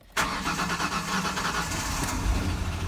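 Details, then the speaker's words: 2008 Ford Ranger XLT 3.0 V6, cold start: cranks and catches abruptly, then idles unevenly with hesitation from a cylinder 5 misfire; the cylinder 5 fuel injector was already replaced, and fuel consumption is high. "right you guys heard some hesitation it definitely has a lot to do with the misfire"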